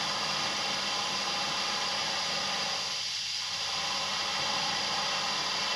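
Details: Fender ProSonic valve amp on the bench after a full recap, all controls on 10. With reverb fully up, a steady high hiss and no hum or crackle: slightly noisy but usable.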